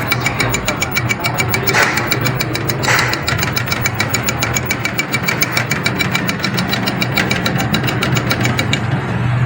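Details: Electric bike hub motor powered from a new controller through its three phase wires, voltage showing on all three: rapid uneven ticking and jerking, about two beats a second, over a rough hum; the winding was found burnt.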